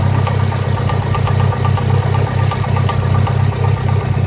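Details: Mitsubishi Evo IX idling rough with a loping, uneven pulse about four per second and a low throb, throwing a cylinder 2 misfire code; turned out to be an aggressive HKS exhaust camshaft, not a real misfire.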